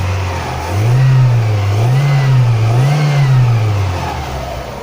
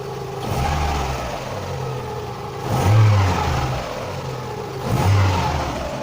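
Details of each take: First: Fiat Doğan after cleaning the MAF sensor: three quick throttle blips rising and falling cleanly with crisp response, no hesitation; normal revving. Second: Idle hunts up and down on its own every couple of seconds with the mass airflow (MAF) sensor connector unplugged, giving an unstable surging idle; demonstrating the MAF sensor's role.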